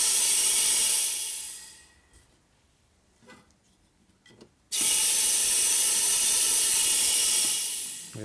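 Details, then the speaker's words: Air-driven nitrous oxide transfer pump from eBay, fed from a shop air line regulated to 80 psi: a loud air hiss for about two seconds, near silence, then steady hiss again; it cycles but doesn't transfer. Inside are grease, dirt and debris, and a ring may be missing. "pretty sure it's not close to that though you hear the pump and stop so that looks like it's no good"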